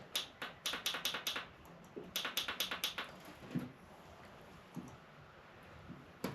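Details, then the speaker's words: Yamaha TW200 that sat for a long time after being stolen, dead battery, on a jump box with choke on: bursts of rapid clicks with no cranking; starter solenoid suspected of sticking. "All right. That means the selenoid's sticking a little bit, I do believe."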